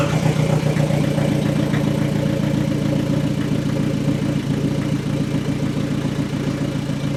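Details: Astra, first start of rebuilt scrapyard engine after swap, running on jump leads, no exhaust fitted: loud raw open-pipe idle, even and steady with no knocking; engine runs smooth.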